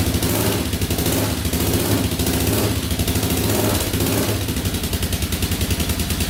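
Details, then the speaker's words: 2004 Yamaha Raptor 660 quad, after carburetor refit, cleaned tank, fresh fuel, new gas line, straightened exhaust and an added quart of oil: a few throttle blips, then a steady even single-cylinder thumping idle, no stumbles or smoke, idling perfectly. "Not smoking. Idling perfectly. Alright, that's awesome."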